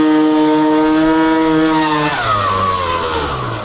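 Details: Piaggio Typhoon 2-stroke scooter with a Stage 6 R/T Overrange variator kit, on a road test: it screams at high revs, then a sudden harsh rattling clatter breaks out as revs fall. Owner thinks the variator backing plate came loose on the crank.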